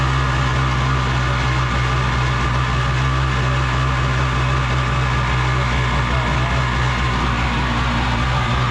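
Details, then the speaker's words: 750 Kawasaki jetski-powered single-seat aluminum mini jet boat, running on a hose: loud booming drone at steady idle with hollow resonance, exhaust visibly leaking; exhaust leak. "I think it's crazy loud just like it's noise resonating of course the wind is picking up too but you can see it's leaking out of the exhaust"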